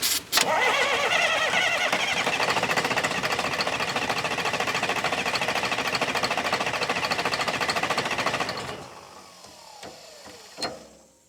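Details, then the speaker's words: Sawmill wheel loader sat 20 years, bleeding fuel system: even starter chugging about 3.5 beats a second for eight seconds, never catches; suspected no fuel/air in lines. "I don't think we're getting any fuel."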